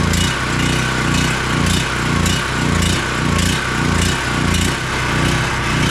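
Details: ETQ 4000 watt portable generator engine after fitting a cheap replacement carburetor with new gasket and adjusting its screw: steady busy high-speed drone, no surging or misfiring, making power at full RPM; normal running.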